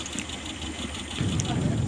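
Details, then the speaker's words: Suzuki Carry 1.0 petrol engine idling rough and lumpy with a low stumbling rumble, shaking and using extra fuel; apparently two spark plugs failing, one dead, one half-dead; misfiring idle. "Coba kita hidupkan ya ini koyoke businya yang mati Ada dua ini Lur yang satu mati total yang satu cuman Setengah Mati"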